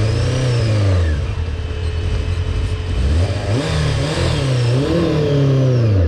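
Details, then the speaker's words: Honda CBR600F4 motorcycle on a ride after a carburetor rebuild, carbs not yet adjusted: revs climb, sag and pick up unevenly on throttle instead of rising cleanly; hesitation under acceleration. "You can see that hesitation. That is a no bueno. You do not want that when you're riding."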